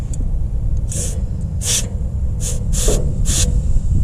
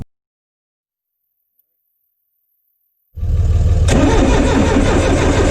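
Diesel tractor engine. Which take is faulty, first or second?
second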